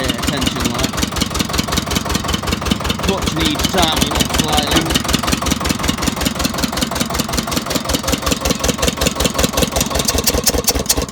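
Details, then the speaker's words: Old Winget one-ton dumper, sat for many years, first start after an oil top-up, retrofitted starter motor: even, rapid chug at idle without stumbles; runs normally. "well she runs and drives now it's just going through and uh greasing all the grease points"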